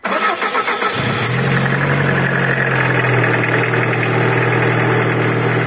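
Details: Lada Granta Sport, cold morning at six degrees, engine previously had hydraulic lifter knock on cold start, now after an oil additive: brief crank, quick catch, steady cold idle with no valvetrain ticking; healthy.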